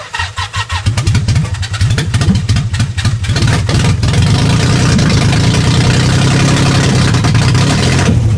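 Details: Nissan 300ZX after its timing belt jumped and was reset, crank angle sensor reconnected, jump-started to test compression and whether the valves are bent: starter cranks a few seconds, then the engine catches and settles into a steady, even idle.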